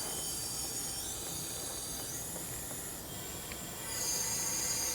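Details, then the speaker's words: B20 engine leak-down test under pressure: constant hissing rush of air out the exhaust because the piston is off top dead centre and the exhaust valve is open; crank not set at TDC. "There we go, that's the exhaust. Here we go. It's closing, we still hear it leaking out the exhaust."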